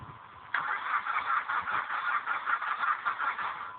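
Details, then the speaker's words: 2002 Dodge Neon after snow, with a new battery fitted after a dead one; gauges go crazy and bypassing the starter relay did not help: starter cranks with a steady pulsing churn for over three seconds, but the engine never starts. "all right so it snowed here the other day in my little 2002 Dodge Neon it'll crank but it won't start"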